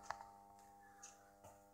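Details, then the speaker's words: Claude & Lyons Regavolt 1225 25A 0-275V variac after repair, unloaded at about 230 V, drawing 0.4 A: quiet steady mains hum with a few faint ticks, even pitch; healthy. "Nice healthy hum. See how many amps that's drawing? 0.4 of an amp, that's what you want, it's perfect."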